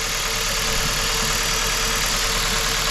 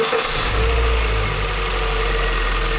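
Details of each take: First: Hyundai i30 estate petrol engine idling very unevenly; unplugging each ignition coil shows the one on cylinder 1 makes no difference, so that failed coil is causing the misfire. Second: Hyundai i30 estate petrol engine idling steady and even with no misfire stumble, after replacing a faulty ignition coil that had caused misfires and rough running; no fault codes remain. Normal idle.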